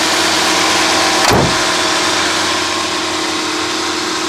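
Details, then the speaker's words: 1991 Mercedes-Benz 420 SEL (W126) idling at about 1000 rpm instead of about 650: steady, fast idle without hunting; high idle, owner ruled out idle air control valve and suspects the computer. "And you can hear that engine idling way too high. Let's see what it's running at. Yeah, about 1000 RPM, should be around 650."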